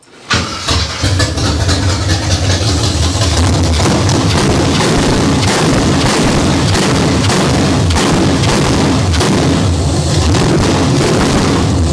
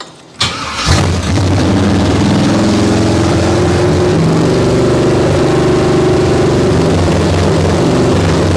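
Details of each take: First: Abandoned 1968 Camaro bone-stock small-block Chevy V8 on open headers, no exhaust: fires right up into loud, lumpy rumble with crisp blips and even beat; runs healthy. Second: Abandoned 1968 Camaro small-block Chevy V8: cranks, catches, then loose, uneven wandering idle and acts oddly on blips; owner suspects the choke, possibly vacuum leak or timing, unconfirmed.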